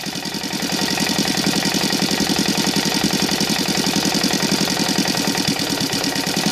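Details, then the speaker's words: Saito FA 125 CH four-stroke model engine converted from glow to CDI ignition, Evo 15x6 prop, idling around 1200 rpm: crisp, even popping around ten beats a second with prop buzz and no misses. Normal idle. "so we'll try to go on the idle the tachometer sometimes it gets crazy and you cannot see the numbers but at least you can hear the sound of it yeah like right now"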